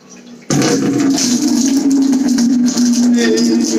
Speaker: You can hear it all coming down. Yeah, I could hear it all going from upstairs.